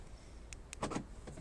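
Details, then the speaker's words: Volkswagen Golf door lock after the fix: crisp, quick clicks and a short thunk in the quiet car as the lock cycles; central locking works normally. "yeah this work it seems to work it seems to work yeah I'm happy"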